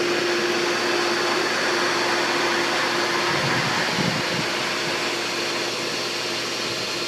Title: Pool pump loud noise